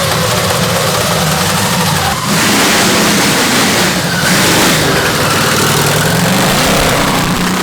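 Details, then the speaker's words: Custom V8 of eight Tillotson 212cc engines on a 900 lb go-kart, test drive: loud, ragged roar with uneven firing and stumbles as it revs; carbs tuned lean, hard to tune eight engines, jetting to be tweaked. "What happened? I don't know. It's hard to tune eight engines at the same time. Why you have to lean them all?"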